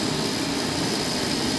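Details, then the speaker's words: Kerosene/diesel forced-air heater on a modified sine wave inverter, drawing about 1.6 A, 110 W: even fan roar with steady burner rush, no surging or sputter; runs same as on wall power. "and there's the blame it's a is running as far as I can tell exactly the same as it does off the wall power on this modified sine-wave burger"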